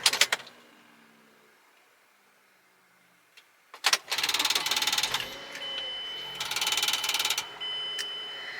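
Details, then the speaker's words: 2007 Mazda 3 Sport, 178,000 miles, at start-up: harsh, high-pitched rattling grind in uneven bursts from the six-disc CD changer jammed with discs stuck on top of each other, not from the engine. "that sound that you are hearing that uh definitely sounds like there could be something wrong with the car is actually this six dis player it has a bunch of discs stuck on top of each other in there"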